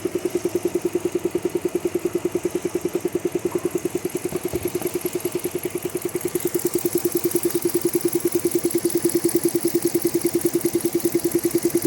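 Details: Jeep Grand Cherokee, heard from the engine side: crisp, very regular clicking about three times a second rides over a steady idle; a clear ticking noise from the engine.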